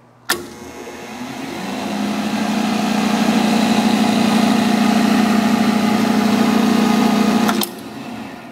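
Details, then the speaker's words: Hardinge HSL speed lathe, 3-phase wired for high voltage, spindle at top speed of 3000 rpm (750/1800/3000 range): winds up over two seconds to a steady clean hum with no grinding or knocking; bearings sound good, normal high-speed running. "we have it on three thousand so you could hear how well it runs at high speed you know low speed will only be quieter"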